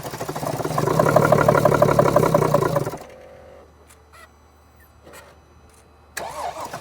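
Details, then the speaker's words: 2014 Mercedes GL350 3.0 L diesel with a crank-no-start complaint, cranked on a battery charger with starting fluid sprayed in. It catches and runs rough and uneven for about three seconds, then stalls. Fuel delivery is doubted as the cause, since it still dies with starting fluid. "Interesting. It almost started and then now it would try again. Try it. I'm going to try to keep it running with the starting fluid."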